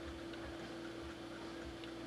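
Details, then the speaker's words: Harbor Freight 12VDC heater on a computer power supply (only 8 A at 12V): quiet, slow low fan hum, barely blowing warm air, better on battery pack; fan underpowered, supply can't provide needed current. "this just can't provide the current it needs you see how it got like brighter and then brighter yet"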